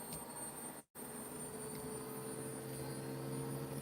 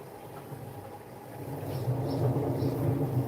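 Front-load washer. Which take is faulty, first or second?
second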